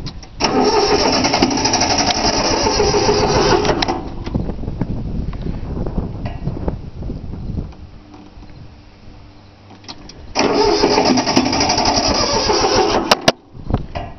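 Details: 3-cylinder Yanmar diesel on a cold start with glow plugs, two bursts of steady cranking at about four beats a second with no catch; owner forgot to bleed the fuel lines, it usually starts right up.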